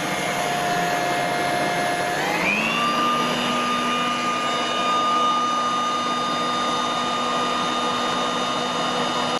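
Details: Ryobi blower, during sound tests at one meter: even whine jumps in pitch as it spools up, then holds dead steady; healthy blower running flat out.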